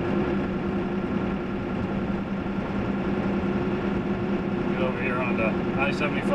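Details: 1995–97 Ford F350 with 7.3 Powerstroke diesel on Mickey Thompson Deegan 38 315/75R16 mud tires, in cab at about 55–60 mph, window half down: steady droning tire hum with low throb and wind rush; normal mud tire noise.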